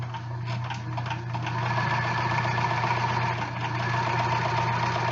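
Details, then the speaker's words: Sewing machine stitching two thin layers of batting. Even, quick mechanical chatter over a low steady hum at about four stitches a second, no catching or thumps; stitches come out smooth, so it is sewing normally. "Now, because this is only 2 layers of batting, very thin layers of batting, it should use this foot without a problem."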